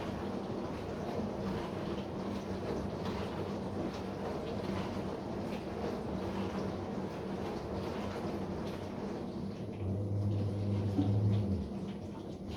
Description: The sound is caused by the seal of the upper spray.